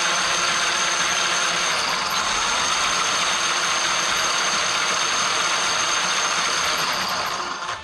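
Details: Traxxas X-Maxx RC truck after the Cushdrive repair (the Cushdrive had been chewing up spur and pinion gears): a steady high electric whine at an even pitch, no longer surging high-low, "way better". Healthy drivetrain, though a slight tight spot remains.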